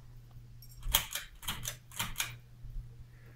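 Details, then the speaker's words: 1990s Hampton Bay Bridgeton 42-inch, three-speed ceiling fan with refinished blades, running slightly off balance: a soft low hum under paired light clicks, roughly one pair every half second, from blade imbalance. "It is a little bit off balance, so we'll make some sounds. As you can hear."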